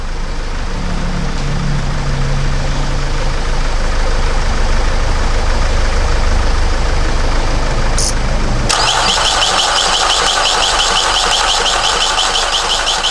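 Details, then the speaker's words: Vauxhall Vivaro 2.0 van, first start after injector replacement and coding, jump-started: even idle with loud rattly top-end clatter because the engine breathers are missing on top. "that noise you can hear is the top of the things are missing the Breeders are missing on here"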